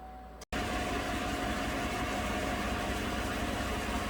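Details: 2015 GMC Sierra crew cab 4x4 with the 5.3 V8, after fuel trims were reset and codes P0171/P0174 cleared; the cause was tissue paper in the MAF sensor. Engine starts and settles straight into a smooth, even idle with no stumble.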